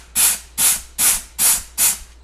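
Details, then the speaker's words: 4L80E transmission from a 6.0 swap, on the bench, customer rebuild with no reverse: air check applying the overdrive clutch and others, heard as sharp bursts of air hiss. "Applying our overdrive clutch there, and you can hear here we're applying a clutch, and then we can apply another one too here."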